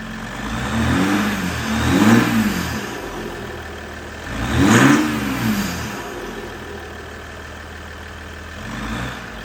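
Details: 2022 Ram EcoDiesel 3.0 diesel with aFe intake, just after installing aFe Power Blade Runner charge pipes: three clean blips with faint turbo whistle, back to steady idle; turbo heard more, acceleration reported better, normal revving.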